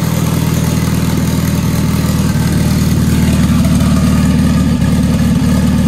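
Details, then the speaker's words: Dodge Caliber SRT4 just fitted with a Precision 6266 turbo, first start after priming oil pressure, not yet retuned: engine fires and holds a steady, smooth idle with no stumbles or apparent exhaust leaks. "so well guys i'm going to call that a success uh the car cranks runs fine idle's fine"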